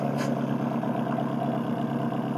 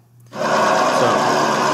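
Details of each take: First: Nissan SR20DET in an S14 after rod bearing replacement and bleeding the ticking lifters, idling: even, steady exhaust note with a smooth low drone and no tapping or knocking; healthy engine. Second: Nissan SR20DET in an S14 after rod bearing replacement, fresh start at idle: busy fast light ticking from the top end; drained lifters needing bleeding.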